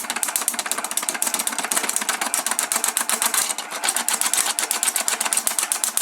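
Fast dry chattering scrape, about four strokes a second, with no bite or chip noise; the blades are rubbing the plastic, not cutting.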